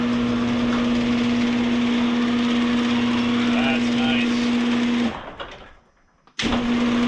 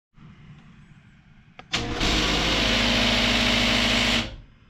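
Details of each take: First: Genie garage door opener after repair of grinding trolley gear, greased, in cold weather; steady motor hum with an even low whine through each run, stopping cleanly. Opener sounds healthy; a separate spring-tension issue remains. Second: Genie garage door opener that won't open, second time this happened: after a click the motor starts with loud, harsh grinding over its hum, from stripped plastic drive gear teeth, then stops.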